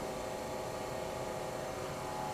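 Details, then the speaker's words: Old GE Monitor Top CK-2-C16 refrigerator compressor, bought in rough shape, running after charging with three cans of R152A: steady, even hum with smooth hiss, no knocking; different noise than yesterday, evaporator getting cold, about 175 PSI high side, normal run. "It's a different noise. Evaporator's getting cold."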